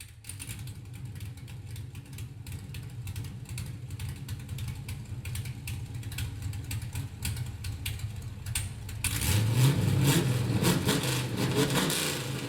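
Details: LS-swapped Camaro V8 on new 3-inch X-pipe exhaust with mufflers off and over-axle pieces not yet fitted; deep lumpy burble at idle then a louder rougher blip; loud open exhaust but healthy engine: normal revving, open exhaust.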